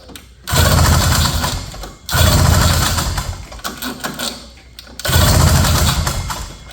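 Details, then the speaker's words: 1970 Ski-Doo Olympique 335 snowmobile, old two-stroke, back end jacked up, choke off, first start: loud surges rising and falling every second or two, loading up rich with gas shooting back out of the carb while high and low speed jets are turned in. "All right, I'm kind of turning these uh high speed and low speed jets in. We're getting a lot of gas shooting back out."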